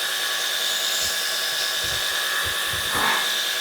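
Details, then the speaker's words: Ozito cordless pressure washer with 5 m hose and metering-device detergent hack, switched back on: steady high-pitched motor whine over constant spray hiss, sound changing slightly as detergent comes through; working normally. "Then if you turn it back on, you can kind of hear the noise change a bit and it should start coming through again soon."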